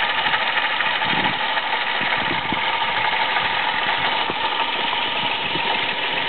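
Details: Toyota Aygo at idle with a gritty, hissy whirr and no knock beneath, from a worn water pump found by a mechanic; the noise at first came only when cold, then grew more frequent.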